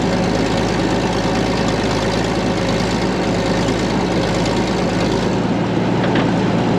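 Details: Late-1940s/early-1950s Caterpillar D6 cable dozer, a barn find revived after years sitting: loud, steady low diesel chug with a constant rhythm and no stumbles or rattles. Normal, even idle.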